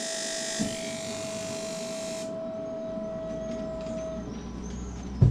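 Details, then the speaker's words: Off-grid apartment heater in France burning paraffin heating fuel (not electric), powered via inverter: quiet steady whirr with a thin high tone for a few seconds as the glow plug switches on for good combustion, then drops away; normal ignition cycle. "so while it's um heating up every so often it's um it's turned on the glow plug to make sure that there's a good combustion of the heating oil in the heater"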